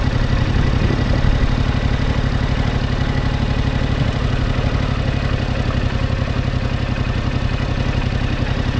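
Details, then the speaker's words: Motorcycle (Yamaha R7) at low speed heading slightly uphill, clutch let out further: low, uneven chuffing pulses as the engine labours and shudders. It is lugging toward a stall. "okay now I'm going to let the clutch out even further and you're going to hear the bike start the stutter a little"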